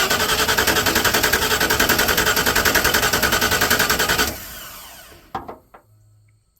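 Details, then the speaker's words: 1994 Ford F-150 with a low-gear shaking misfire and new spark plugs, cranked by jumping the starter terminals for a compression test: a steady beat of about 3.5 strokes a second, evenly matched. Compression is good, and the misfire is traced to a bad injector. "pretty good compression if you ask me it's holding pretty good too so that's good"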